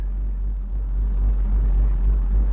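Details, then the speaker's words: 1972 Chevrolet Monte Carlo with LS V8 swap, driving: deep, steady low exhaust rumble, no rattles, good growl under throttle; healthy V8. "man that sounds good it's pretty deep and it's got It's got a pretty good growl when you're on it"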